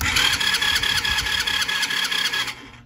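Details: Free quad unused for several years, new battery, fresh gas: quick even starter whir with rhythmic compression pulses about two seconds, stops without firing; cranks but won't start, cause not yet known.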